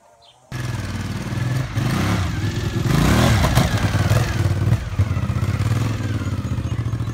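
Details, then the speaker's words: 1997 Suzuki TL1000S V-twin, new fuel pump, repaired muffler, first ride: ragged uneven beat stumbling as throttle opens; bogging under acceleration, owner suspects misrouted airbox vacuum hose. "I got to run a bit bitter but it was still bogging out and I think it's something to do with this thing here"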